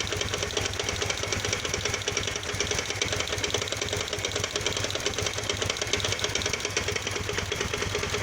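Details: Kawasaki VN 800 Vulcan bought a week ago, idling after a service in which the heads were retightened; oil leaks at the heads. Fast, uneven ticking and light knocking are heard; the owner suspects knocking from the lower engine, with the cause unknown.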